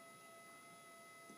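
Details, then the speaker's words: Minelab GPX 4500 detector, upgraded, in deep mode, mono, tracking, gain 0: very faint steady hum with a few thin high tones, no target bursts; slight interference noise, normal threshold. "It's a very, very slight amount of noise coming through the detector through interference, which is normal."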